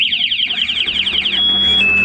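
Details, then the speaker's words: Honda CBR250 fuel-injected motorcycle with aftermarket anti-theft alarm armed in sound mode: loud high warbling siren rising and falling, then holding a steady piercing tone when the bike is moved; alarm triggered, starter disabled. "Alarm aktif dengan mode suara. Kalau misalkan digeser seperti ini, nah, bunyi ya. Kalau misalkan dibobol, dia bunyinya keras."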